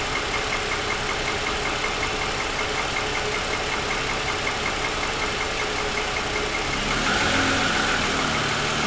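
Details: 2007 Lexus ES350, parked with hood raised, cold idle: light rapid, even ticking over the engine note; owner says pronounced piston slap lasting about 10 minutes after cold start, grown louder over 2.5 years of ownership.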